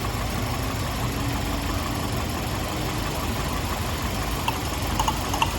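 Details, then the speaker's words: 1998 Toyota Corolla 1.8 at idle: low, slightly lumpy rumble with uneven beat, number one cylinder missing; misfire followed the spark plug, fouled by oil from leaking valve covers. "so it's missing on this number one cylinder for sure"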